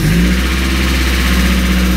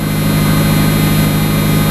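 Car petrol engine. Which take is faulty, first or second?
first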